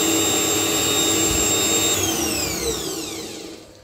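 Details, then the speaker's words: Washing-machine universal motor driving a lathe, running without cutting after new bearings fitted: high, steady multi-pitch whine sliding smoothly down as it coasts to stop; bearings quiet, only normal brush-motor whine, not much quieter. "it's not much squatter really uh by the decibel mini because these motors are a little bit whiny"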